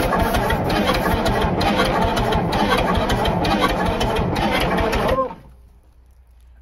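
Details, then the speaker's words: Old bullnose cabover semi with a 290 diesel, parked about 23 years: rhythmic cranking chug, two to three beats a second for five seconds, never catches; smoking and getting fuel but won't start. "It wants to, man. What are we not doing? It's smoking, it's getting fuel, it's just been a while."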